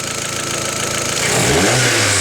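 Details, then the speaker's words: Opel Astra turbo after the intake flutter fix: revs climb smoothly from idle with a clean rising note and no fluttering chatter on throttle; no more flutter noise, healthy intake. "no more noise and again"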